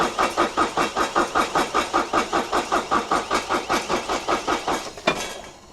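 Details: Irrigation pivot engine at 6,574.5 hours after oil and filter change: cranked a few times to circulate oil, steady rhythmic cranking about two and a half compressions a second, even and strong, then catches and settles.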